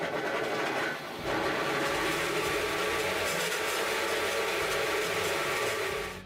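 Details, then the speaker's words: 25-year-old Felisatti T83 miter saw (made 1995), motor rewound years ago, many working hours: hardly starts, then harsh rasping rattle and vibration from worn motor bearing, before bearing replacement. "We can see that the saw hardly start and then start vibrating and making horrible sounds."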